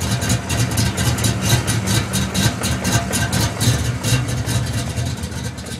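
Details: 1992 Ford Mustang GT V8, high compression, big camshaft: deep choppy idle with a steady lope about twice a second, even throughout; idles well, stays under 180° in traffic with air on.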